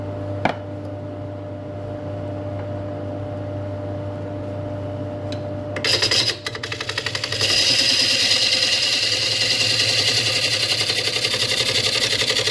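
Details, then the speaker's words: Woodturning a 200 mm camphor laurel bowl on the lathe: under the scraping of the cut, a fast, regular tapping of nearly four per second comes from the tool hitting a hidden inclusion beside a knot. "So that's what that tapping is. You can hear. So there's the knot and that's an inclusion of some sort."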